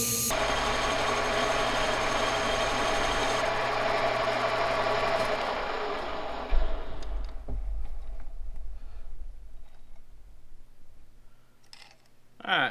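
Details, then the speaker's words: Monarch 10EE lathe, single speed, cutting with an insert after the part was choked up in the chuck and stuck out less. Steady, smooth cutting hiss over the motor hum with no rattle; the earlier chatter is gone. "see how we did that sounded a lot better yep so that chatter there was worth five thousand when it got cut out or 475."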